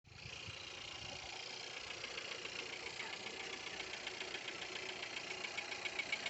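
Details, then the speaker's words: Skoda Octavia A7 1.4 turbo; light, fairly regular ticking rattle about four a second over a steady idle; engine knock at idle, owner cannot tell where it comes from. "откуда-то тарахтит, откуда, не понимаю."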